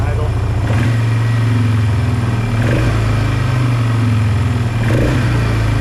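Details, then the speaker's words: 2005 Polaris Trail Boss 330, not run in years: low single-cylinder idle that won't settle, coughing and stumbling every few seconds; idle hanging from either an idle screw set too high or the intake boot air leak; unstable idle from intake air leak. "the idle is hanging around and that's an indicator of either your idle is set too high so your your mixture grew is not controlling the idle you're actually keeping it keeping it idling just because your idle screw has turned in so high so it's either that or that air leak is causing the idle to hang around"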